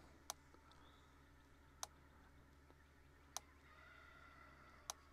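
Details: Sharp single ticks about every one and a half seconds, evenly spaced over a faint hum: a healthy fence energizer pulsing with no load, disconnected from the fence; tester reads about 13.6–13.8 kV as the baseline.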